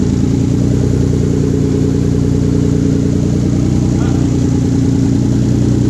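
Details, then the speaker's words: 1997 VR4 first start after engine rebuild, downpipe not yet welded on: rough, raspy, loud idle with open unmuffled crackle blowing straight from the turbo outlet; loud exhaust from missing downpipe. "no downpipe, that's why it sounds like butt."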